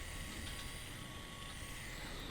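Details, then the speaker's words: Hyundai Sonata idling, shaking, burning and sulfur smell, catalytic converter shot: steady hiss from sulfated battery bubbling hard while gassing. "that means that the battery shot it's sulfated it's bubbling like mad so it needs a battery too"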